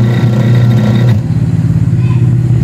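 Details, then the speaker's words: Standard-brand 6 kg washing machine, noisy even without water or clothes; with the belt removed the motor alone hums with a steady low tone, no grinding or knocking, so the motor is healthy; the leaking, broken-lock gearbox is the fault and is to be replaced. "ayos po ang ganda pikot ng motor niya"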